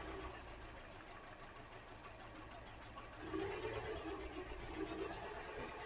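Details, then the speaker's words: 2013 Hyundai Elantra with flashing check-engine light, idling: quiet idle with an uneven, lumpy beat that stumbles now and then; still misfiring, one cylinder dropping out. "Okay, still misfiring, no doubt about it. Definitely misfiring."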